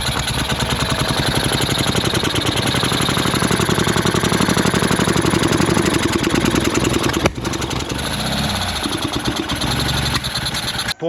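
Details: Ural sidecar engine started after 2 months laid up, with valve clearance redone, timing rechecked and throttle parts cleaned. It runs rough and uneven with an odd rattle, then cuts out. The owner suspects an electrical fault from a battery short and will test the crankshaft position sensor.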